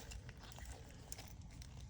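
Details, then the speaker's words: Vissani HVBC31ST beverage cooler that isn't cooling and clicks: shaking the compressor's start device produces a faint loose rattle of broken internals. It still tests good on the meter but needs replacing. "all right so we're going to shake this up again that is not good even if it's testing good it's not"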